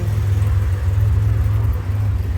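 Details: Chevrolet Trailblazer, thermostat code with the engine running cool at a quarter on the temp gauge: smooth, deep, even rumble with no knocks, ticks or rough spots; sounding healthy.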